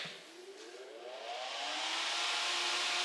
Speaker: Let me plug it in so you can hear it. It actually was fairly quiet when I plugged it in.